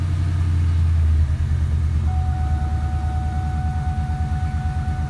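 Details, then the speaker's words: 1999–04 Mustang 2V just converted to E85 with 47 lb injectors and a new tune; first start. Steady, even idle rumble with a regular low beat and a faint whine; sounds healthy, checked for leaks. The owner later notes it dies if left idling unattended. "check to see if there's any leaks is it dry dude it sounds healthy to"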